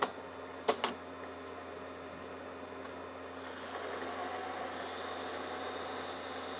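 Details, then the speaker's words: Mystery data recorder tape transport on fast forward with a junk tape: clicks, then smooth steady rushing whir as tape spools quickly; fast forward works, though playback sounds like it chews tape. "fast forward's going pretty quick and that seems to be working okay"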